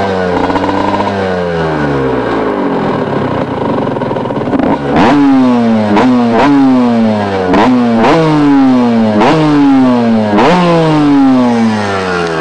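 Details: 2000 Kawasaki KX125 two-stroke after rebuild: crisp ringing, blipped up and down in quick repeated revs, climbing cleanly and dropping back; healthy.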